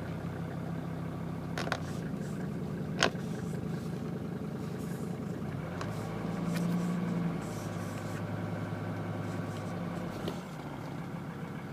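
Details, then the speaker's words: CUCV Chevrolet diesel (M1008/M1009 type) after 20-degree cold start using manual glow plug button, idle raised by switch: even, steady diesel clatter that settles lower when idle is dropped; healthy idle, good oil pressure. "So we'll give this thing a crank. Simple as that. It's running. And as you can see, I got the idle up."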